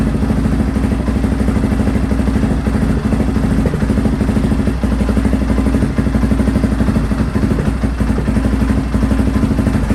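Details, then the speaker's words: Honda XR650R after restoration and valve adjustment, first start after a week of trying in cold, inlet manifold warmed: big single thumps at steady even idle, quiet engine; tiny oil and water leaks; normal idle. "so okay so i'm really happy to hear it that's the first time i've ever heard this bike and the engine sounds quiet the exhaust sounds nice"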